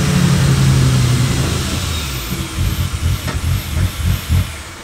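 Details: Ford EF Falcon with turbo Barra engine, first start: revs then drops to lumpy, uneven idle with rough pulses; MAP sensor unplugged left a large hole in the intake, causing the vacuum leak noise.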